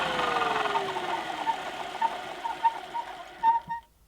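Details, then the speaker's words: 1973 Electrolux 170 vacuum cleaner, 280 W motor, semi-refurbished: falling hum on rundown joined by short high squeaks; owner suspects agitator or brush roll bearings, maybe needs oil or grease. "So as you can hear, a little bit of a squeak on rundown. I'm not sure if it's the agitator or the brush roll bearings, but I'm sure it's an easy fix."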